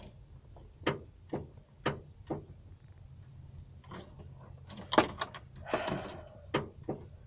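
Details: Ford Econoline E-350 RV that won't start. A row of sharp single clicks about every half second, and the engine never turns over; likely starter or solenoid trouble. The starter is on the passenger side, reached from under the RV.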